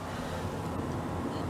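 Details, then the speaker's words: Off-grid RV camper furnace, previously unreliable, now working again, possibly after owner moved a part back and forth to clean dirty terminals: steady, even blower rush with no rattle, scrape or squeal; furnace fan running normally, giving heat. "do you guys feel that you feel that that's heat ramsay heat from the furnace yeah i have no idea but the furnace has been working again"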